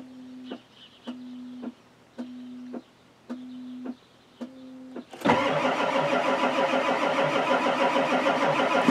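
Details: Ford F-250 XLT 7.3L IDI diesel; a few chimes, then starter turns it over steadily for several seconds with no firing; glow plugs not working, needs new glow plug wiring harness; cranks but won't start.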